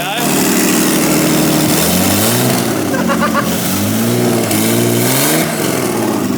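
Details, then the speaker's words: Nissan R32 Skyline barn find, RB20DET turbo engine freshly reinstalled, no exhaust fitted: genuine first start after the lines were swapped over, then loud raspy unmuffled revving with sharp throttle blips, even, no knocks; normal idle and revving, healthy. "I'm like, it sounded like it was like Ron 90%. I'm like, oh no. Nah, she's all good. It's just a little bit of no exhaust."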